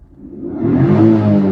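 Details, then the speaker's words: Viva 850 that had crazy, jumping rpm, traced to a faulty TPS; the IAC was also replaced with a non-original part. With aircon off, a light blip climbs smoothly and holds steady with no surging, and the needle no longer jumps. "Tiada sudah gegar-gegar yang ni jarumnya gila-gila. Tiada ya."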